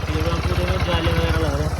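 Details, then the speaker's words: Bajaj Pulsar NS160 after full engine rebuild, first start after sitting a month; steady even low putter at idle with regular firing, no knocks or rattles; smoke from spilled oil burning off: normal idle. "हाँ , इसे चलने दो। तो अब यह शुरू हो गया है।"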